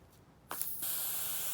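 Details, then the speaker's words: Etek 3 paintball gun, air tank on: sudden steady hiss from the solenoid cap exhaust hole that never lets up, gun still shoots; solenoid over-pressurized because the LPR piston seat is broken. "you hear that that's the solenoid in there leaking this gun still shoots"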